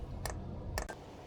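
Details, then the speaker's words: Diesel heater's dosing pump after contact cleaner fixed dirty connectors causing a pump failure error: sharp light ticks roughly every half second over a quiet low hum, pump ramping up normally before fuel is seen moving. "I'm not seeing any fuel moving, but the pump is ramping up, which usually is a sign that it's running."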